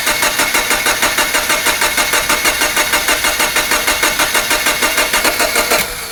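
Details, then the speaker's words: 2007 Subaru Forester SG, turbo 2.5 L, suspected head gasket, engine cranking but not starting: even cranking about three beats a second with harsh high buzz; bad starter clutch, starter about to fail. "Yeah, that buzzing sound. Free diagnosis for you, my guy. You have a bad starter clutch. That starter is about to go out."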